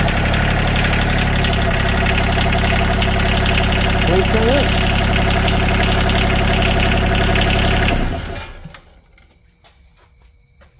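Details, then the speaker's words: Yanmar 3TNV70 diesel, from a John Deere Gator, swapped into a CAT 300.9 mini excavator, first start without glow plugs or air cleaner connected: cranks right up to an even, quiet idle with no smoke; much quieter than the old engine. "it cranked right up. No glow plugs It's very quiet. A lot quieter than the other engine."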